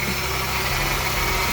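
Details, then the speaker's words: 1998 Honda Odyssey with JDM F23A swap just after second start, cold, antifreeze and water freshly added, no valve adjustment; even idle with steady low rumble, no knocks or ticks; engine sounds healthy. "So there is antifreeze in there. But yeah, it sounds good."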